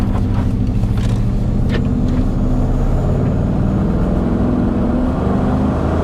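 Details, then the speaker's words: Maserati Quattroporte S 4.7L V8: loud deep rumble staying nearly flat in pitch as the engine bogs with no power under acceleration. "No headlights, no power, but we do have a license plate. Oh, she bogs."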